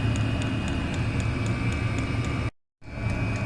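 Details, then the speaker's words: Chinese diesel air heater running on kerosene, cover off: sharp even ticks about four a second over steady fan rush from the fuel dosing pump; owner plans wrapping it to deaden the noise. "so we've just took the cover off and there's a little pump ing away tick tick tick tick pumping the diesel"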